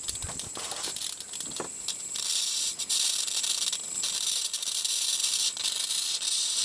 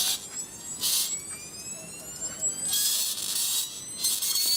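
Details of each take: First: Flyback driven at low power through its internal primary by a big audio amplifier with treble and bass tones: sharp sizzling hiss with crackly bursts swelling and fading as drive changes; flyback works, strong healthy arc. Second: 1980s flyback driven through its internal primary by high-frequency tones played from CD into a small power amp with protective resistor: high whistling bursts, faint crackle; weak arc because the amplifier is underpowered.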